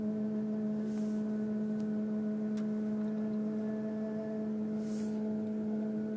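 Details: 2002 Mercury Grand Marquis, 105k+ miles, parked after driving: steady low hum at one fixed pitch with faint higher tones from the engine compartment; occurs randomly, seemingly unrelated to bumps, speed or gear; gauges normal; source not identified.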